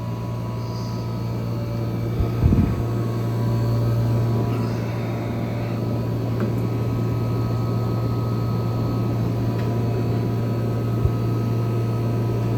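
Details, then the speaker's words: 1974 Friedrich Quietmaster 14,000 BTU air conditioner (AJ8514E) running on medium fan in a room of about 80°F; it sounds rough on startup. Once running it gives an even low hum from compressor and fan with no knocks: normal running. "It's on a medium right now. Once it's running, it's happy, but it sounds like hell on startup."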